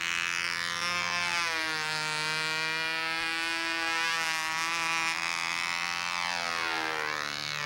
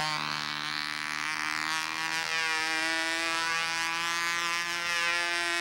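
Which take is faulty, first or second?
second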